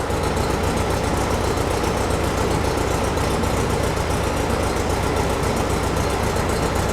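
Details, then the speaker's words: Air-cooled flat-four in a VW-based Porsche 356 Speedster kit, restarted while chasing remote oil filter over-pressurization; a loose nut on the carburetor was found first. Starts much better and the pressure light goes off. Regular, slightly lumpy idle with no knocks or rattles; sounds good. "sounds good though"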